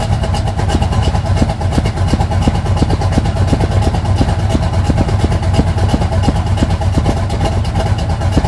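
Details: 1980 Sierra C15, junkyard L31 Vortec 350 (130k-mile pistons/rods, 9.5:1), Summit K1107 .488/.510 lift cam, Performer RPM intake, 600 Holley, Flowtech headers, Thrush turbo mufflers; cold idle: deep, uneven chop about three beats a second, lumpy lope from big-lift cam; mic clipping.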